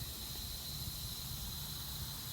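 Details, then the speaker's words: Magna Force air compressor, motor unplugged, gauge not yet replaced: a faint, steady high hiss as air bleeds off through a leak. Compressed air leak. "I think we're gonna make this easy gonna unplugging it and plugging it back in you hear the air bleeding off"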